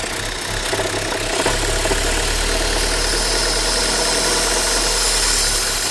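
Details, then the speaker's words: 2006 Vauxhall Vectra-C, Z18XER engine: loud sucking hiss over an uneven, stumbling idle with occasional rev drops and hesitation; removing the cam cover cap or dipstick makes it run badly, pointing to a failed PCV valve in the rocker cover. "slight sucking noise from the engine bay. Okay. You can probably hear the uh noise which appears coming from around here. I think it's the PCV valve."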